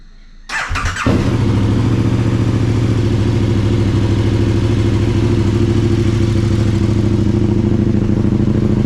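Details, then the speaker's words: KTM 1290 Super Adventure motorcycle just after spark plug change: engine catches after short crank and settles into steady even idle; throttle response slightly improved already — normal idle. "I'm just gonna quick reaction in the throttle here that's like a really slight Improvement already"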